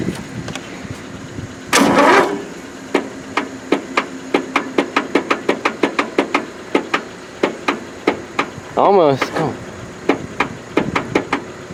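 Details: Free riding mower, choke on, throttle full, jump-started through jumper cables: slow, uneven cranking with single clicks between, no firing; flooded engine, plug soaked with fuel.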